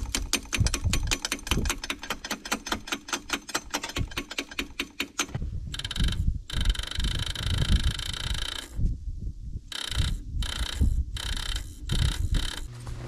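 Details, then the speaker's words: 1957 Allis Chalmers IB tractor left sitting a couple of years in snow, with no fuel added yet and a block heater used. Even clicking crank at about four beats a second, then choppy, broken cranking that never catches. A bad solenoid was found. Cranks, no start. "oh turns out a bad solenoid can give you a bad day so let's see if i'll fix this issue"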